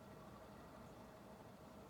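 A soft, even airy hum with no ticking, rubbing or wobble; the fan runs quietly and smoothly on medium.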